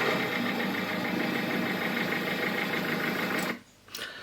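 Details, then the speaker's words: 1600 HDI diesel idling with fast mechanical clatter from the front of the engine; failing auxiliary belt tensioner lets the belt loosen and dance, risking it slipping off. "si vous remarquez, le problème, ce qui cause ce bruit c'est le tendeur de courroie, et ce qui se passe ici c'est que cette sangle se desserre et tu peux sortir, regarde, là tu vois comme elle danse, tu vois comment elle bouge"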